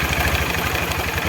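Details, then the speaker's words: Engine with the clutch cover opened: uneven low-rpm idle with a rapid "dek dek dek" knock riding each engine beat, louder with the cover closed; excessive play from worn clutch damper (hub) rubbers that need replacing, though the clutch itself still engages smoothly. "Nanti suara ini kencang, dek dek dek dek dek dek, udah matiin dikit ya. Oke, nah ini oblaknya udah kelewat banyak."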